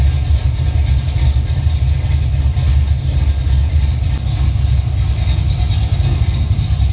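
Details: Holden VL Calais pro street build with 304/308 V8 and viscous fan, after fixing alternator charging: deep steady burble through loud exhaust, even firing, no misses or knocks, while running about 10 minutes to bleed coolant. Normal idle.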